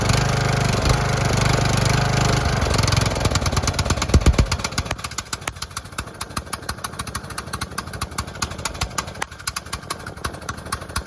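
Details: Cheap used single-cylinder riding lawnmower idling after the exhaust was bolted back on without a gasket: much quieter, settling from a busy roar into a steady, even popping idle and running normally, though still blowing some oil from somewhere.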